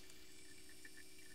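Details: VW CJAA common-rail TDI (CP4 pump), after fuel filter change with filter housing filled with diesel to top of filter, priming retried: faint steady electric hum with light liquid trickle; pump now delivering fuel normally.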